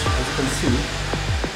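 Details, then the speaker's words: Perkins generator diesel injector nozzle on a pressure tester set around 120 kg/cm²: a short, uneven, sputtering swish instead of a crisp burst. The tip is brownish and dirty, so the nozzle is judged worn; it should be cleaned or replaced. "so this nozzle tips is worn out because it's not clean it's not clean at all"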